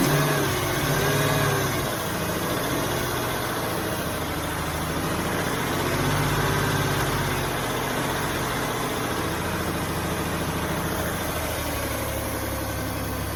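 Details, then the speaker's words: 2005 Ford Taurus after new idle air control valve and ignition coil; idle jumping badly, surging and sagging with a faint hiss; owner suspects air being sucked in somewhere up top, not the new valve, unconfirmed. "yeah see how it's jumping real bad sounds like I hear air coming out of somewhere else"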